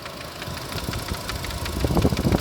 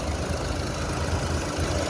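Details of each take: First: Renault Captur Life 2019 at 72,000 km, idling then revs rising: uneven rapid knock three to four a second, radiator cooling fan unbalanced by a worn rear copper bushing, hitting its own support; needs replacing. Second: Renault Captur Life 2019, 72,000 km, after warranty replacement of radiator fan (worn rear bushing had unbalanced it, hitting its support): steady idle with A/C on and even fan whoosh, no ticking or rattling.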